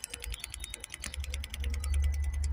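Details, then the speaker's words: Ford Transit Custom 2.2 diesel, ignition on, priming newly fitted DPF fuel vaporizer via scan tool: steady fast ticking about ten clicks a second over a low rumble; vaporizer pump pulsing normally, fixing DPF regen temperature too low fault. "just here you have the vaporizer pump you can hear that function I hope you can feel it pulls them and you can hear it"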